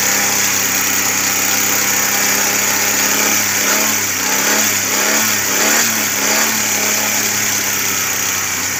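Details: Suzuki Cultus with carburettor and misfire complaint, after CDI and ignition coil replacement with a Japanese coil: steady, even idle with no stumbles, dropouts or surging; running smoothly, no misfire.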